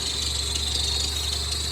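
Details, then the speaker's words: BMW X5 E70 at cold idle after water pump replacement: a steady high-pitched squeal over the low idle rumble, attributed to a serpentine belt about an inch too long; owner expects it to ease once warmed up. "this sound will go away once it warms up this will flow better once uh the thermostat opens when it becomes full operational"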